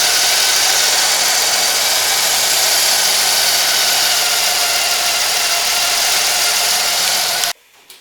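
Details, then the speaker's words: 1991 Buick LeSabre 3800 Series 1 V6 after repair, old belt replaced with older belt and crank pulley realigned: steady hissy idle hum with no ticking or clunking, then shutoff; normal idle, noise fixed. "my car is fixed it doesn't make any noise"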